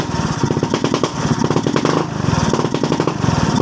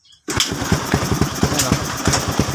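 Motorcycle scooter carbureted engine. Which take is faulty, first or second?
first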